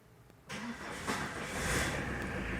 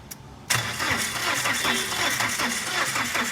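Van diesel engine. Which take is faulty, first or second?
second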